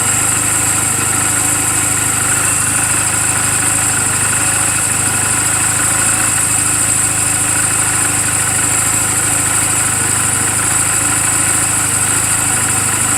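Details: 2007 Honda Rebel 250 idling in neutral just after an oil change and valve clearance adjustment; even, steady quick putter with light valve tick, no misses or stumbles. Owner says it runs perfectly; normal idle.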